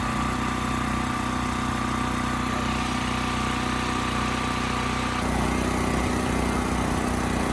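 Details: Westinghouse 7,000-watt generator after carburetor cleaning, under 3000-watt load: steady drone holding constant speed, no hunting, misses or knocks. Multimeter confirms around 60 Hz target; Kill-A-Watt meter jumps to 75–80 Hz.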